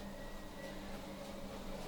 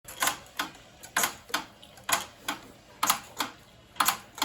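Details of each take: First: A Peloton exercise bike pedaled seated and standing gives a steady low hum with no squeak or clicking after screws were tightened and cranks lubricated with WD-40. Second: Peloton bike gives sharp, crisp clicks in pairs about once a second, in time with each pedal stroke; fixed by tightening screws and lubricating the cranks.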